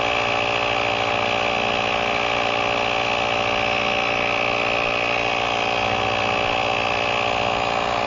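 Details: GrePro 1533 portable tire inflator, preset to auto-stop at 40 psi, inflating a tire with a slow leak from 28.4 psi: a steady, even buzzing drone from the small piston pump, no surging or knocking, so it is running normally.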